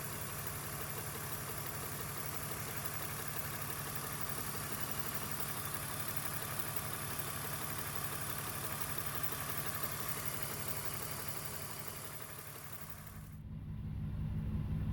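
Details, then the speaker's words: BMW E46 after upper radiator hose failed at the drag strip, new hose fitted and coolant refilled: steady, even idle with smooth low rumble, no misses or knocks; coolant temperature holding steady, head gasket or warped head feared but engine sounds healthy. "the coolant temperature is holding steady after the incident at the track i was concerned it may have blown the head gasket or warped a cylinder head"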